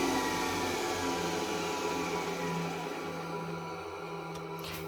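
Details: Centurion tank turret main generator and Metadynes warming up: steady layered electrical hum with a constant whine, no knocks or surging; normal generator run.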